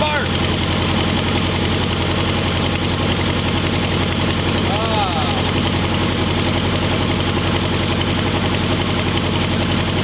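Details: VW Super Beetle flat-four, first start after a long fight: steady, even chuffing idle around four beats a second with no misses or knocks. Normal idle.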